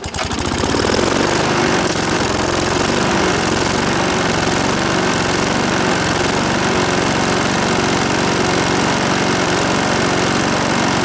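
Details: Briggs and Stratton single-cylinder mower engine, serviced after oil starvation or neglect, catches quickly and settles into a steady, even buzz with no knocks or misses; runs healthy.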